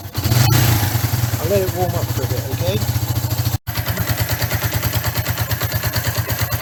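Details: 1994 Suzuki GN125 after carburettor cleaning, on choke with battery charged: single cylinder catches after a short gap and settles into a steady, even idle thump; normal start and idle.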